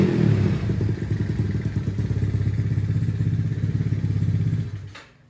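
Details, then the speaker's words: Yamaha Mio scooter built to 200cc, heavy CVT rollers, carb may need resetting, weak starter one-way clutch: loud, deep throbbing exhaust pulsing steadily, rough but even, shuts off cleanly; aggressive but reasonable, healthy. "Ya suaranya bisa dibilang gahar ya, cuman gaharnya masih terbilang masih wajar lah"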